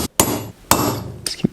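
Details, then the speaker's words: GM 14-bolt rear hub rebuild, tapping the bearing race with a small punch through the slots toward the snap ring: a few sharp hollow hammer blows with no solid dead thud; race not yet fully seated against the ring. "around that doesn't sound like it hit that might be enough looks fairly even"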